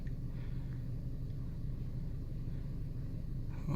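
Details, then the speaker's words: 2012 Chevy Sonic 1.8L, 71,800 miles, P0300 random misfire: cold engine idling low and a little unevenly with a hard miss on cylinder three. Suspects spark leaking out of the plug boots; PCV valve cover problems are also noted. "hope there was there was a Miss right there on cylinder three that was a hard miss I felt that just"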